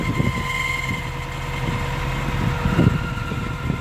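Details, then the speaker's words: 2012 Subaru WRX at about 90,000 miles, cold morning idle: thin high squeal over low rumble, gone when clutch pressed and after a minute or two; owner suspects weak throwout bearing; squeal at idle. "So it makes these slight squealing sounds, like it's really screechy. Definitely thinking that's the throwout bearing, but it always goes away once I start driving and once"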